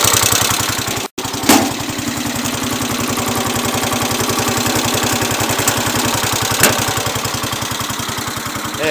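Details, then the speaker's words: Cub Cadet 107 garden tractor, cold start on full choke, new fuel filter and fuel line: single-cylinder engine holding steady, even idle putt, no stumbling; a little smoky and smelly at first, now runs good. "now it sounds good."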